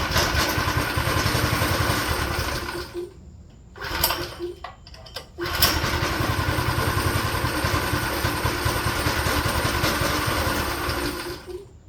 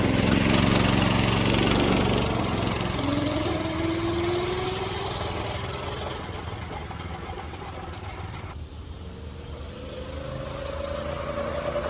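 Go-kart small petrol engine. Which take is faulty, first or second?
first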